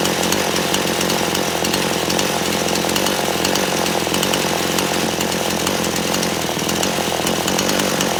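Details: Chainsaw just after carburetor adjustment of the low and high mixture screws, restarted: steady high-pitched two-stroke buzz at an even speed, no surging or bogging; normal running, properly tuned.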